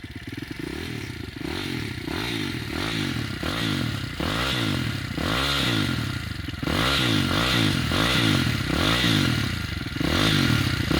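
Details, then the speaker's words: Demon X 170 Detroit single-cylinder dirt bike with new End carbon exhaust can, baffles still fitted: steady idle with quick throttle blips, crisp and even, no clatter; quieter exhaust lets the healthy engine be heard. "you can actually hear the engine more now it's quiet in the off and that is what I wanted"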